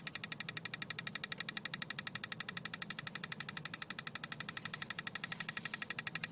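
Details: BMW E36 320i, engine bay with ignition key at position 2: crisp, even ticking about four per second. It stops at key position 1 or 0. Cause unknown.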